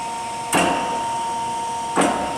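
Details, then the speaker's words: Chevalier FSG-1236AD hydraulic surface grinder on an automatic traverse-grind cycle with spark-out passes: steady motor hum with a short hiss-and-thump at each table reversal, about 1.5 s apart; the hydraulic table traverse runs good. "I said Traverse grind is a little bit slower operation I can make this all happen faster and plunge but it runs good"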